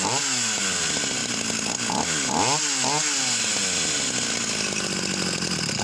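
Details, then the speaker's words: Vintage Husqvarna 44 chainsaw, formerly seized engine, high needle backed out: surging and stumbling, revs rising and falling unevenly. Carburetor suspected, needing cleaning or replacement. "So now she's starting a little bit now with the high needle out. So maybe it just needs time running, or perhaps that carburetor could go into an ultrasonic tank and get cleaned."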